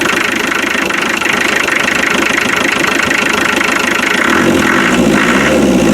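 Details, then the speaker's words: 2.5 naturally aspirated diesel, first start after a starter wire fix and new seals: even diesel clatter at steady idle with no misses or knocks; initial startup smoke cleared, running clean. "you see how the smokes cleared out after the initial startup it seems to be quite normal for these 2.5 but it's really nice and clean look at that"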